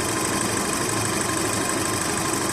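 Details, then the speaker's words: VW Golf/Jetta Mk5 2.0 FSI after timing chain replacement and a new brittle pipe that had been leaking air. Steady, even idle with no chain rattle from the front of the engine; normal idle. "so I'm not sure if you can hear right now but the chain is no longer wrting like it used to"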